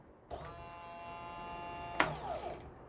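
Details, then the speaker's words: Fuel pump electric motor powered on a test setup: steady, even electric hum with a constant high whine and no stumbling or rattle; a good working fuel pump. "as you can see this fuel pump it's a good working condition"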